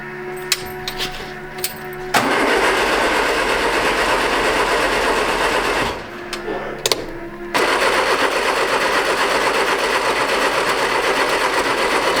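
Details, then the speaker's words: 1967 MGB GT, positive-earth, after sitting for weeks: starter cranks steadily at about four beats a second in two long bursts, never firing; crank no start. "Okay. So we have no spark. So now we got to figure out what that's all about."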